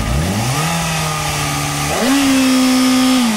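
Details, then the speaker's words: 2007–2008 Kawasaki Ninja ZX-6R 600cc inline four, crash-damaged bike with engine intact, holding steady revs and blipping cleanly with no valve or timing chain noise; bottom and top end sound good and compression is 10 kg. "podemos observar que la parte inferior y la parte superior del motor suenan bien"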